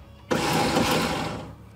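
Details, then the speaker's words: Starter on a 1975 VW Shorty bus that sat over 20 years, jumped directly at the starter: a brief high-pitched whir with no cranking. It spins freely but the Bendix never engages, so the starter is to be pulled. "Oops. I hear it. It ain't turning nothing over though. No."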